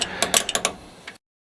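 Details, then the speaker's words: Jeep jack raising the vehicle under the bumper: about six sharp metallic clicks in just over a second as the handle is pumped and the climbing pins click into place, signalling the stroke can be reversed; normal jack operation. "carefully pump the handle up and down to raise the load do not use an extension on the handle you'll hear and feel the climbing pins click into place which indicates that the handle Direction can be reversed for another stroke"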